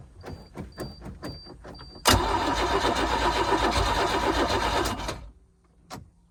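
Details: 4.3 MerCruiser boat engine after a starter swap and priming: even starter chatter, then it catches for about three seconds and dies; ran twice then shut off, owner suspects heat soak, cause unclear.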